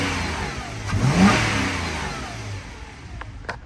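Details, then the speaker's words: Modded Nissan 350Z at auction, warming up, AC off: engine picks up cleanly on a quick blip and falls back to a steady idle, no knocks, rattles or misfires; sounds healthy. "Wow, does not feel bad at all."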